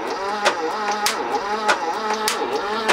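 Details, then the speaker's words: 1980s BMW E12 M535i Lightweight barn find, untouched 30 years: sharp metallic clatters about every half second over starter whir while cranking; oil on valves and rockers freed all but two sticking valves, penetrating oil soaking. "so we've gone from all valves sticking to two yeah that's because you've lugged that fluid down there that's good because that'll soak its way"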